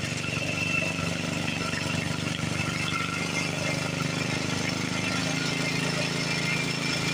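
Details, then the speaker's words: Montgomery Ward garden tractor running again after sitting many years, gears freed up: steady single-cylinder chatter at fast idle with busy mechanical clatter; the engine is a little worn and noisy. "Montgomery horse tractor running again. I've been sitting for many years. Engine's a little wore, a little noisy."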